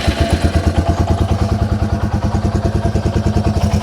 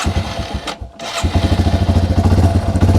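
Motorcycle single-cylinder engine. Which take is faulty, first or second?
second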